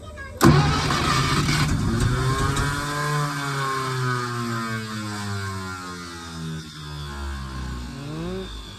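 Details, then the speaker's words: 1951 Packard straight-8, 6-volt, sat 30+ years; spark restored after fixing grounded points wire, compression 90–125, gas shot down carb: starter grinds, engine catches briefly then sags and dies; owner unsure if spark is lost when starter disengages; crank no start. "It wants it. It wants it. Can't tell if it's losing spark once the starter disengages."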